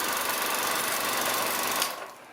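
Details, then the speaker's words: Bell & Howell 1500-2500 series autoload 16mm projector after worm gear replacement. The rewind button is pushed with the freshly greased reduction gears running: a smooth, quick whir with an even chatter that stops cleanly, no grinding or binding. "And if I push the rewind button, you see them running? See those little guys working back there?"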